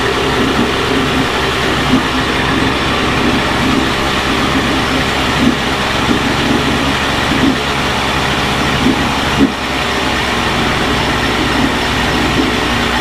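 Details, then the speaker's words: Early-1980s Mercury 350 35hp two-stroke outboard after replacing head and exhaust gaskets (failed exhaust gasket had let water into cylinders); steady, even buzz at a fast idle, no misfire or knocking; running normally. "Alright, well, got the 35 running. Thought I'd fire it up, see if it..."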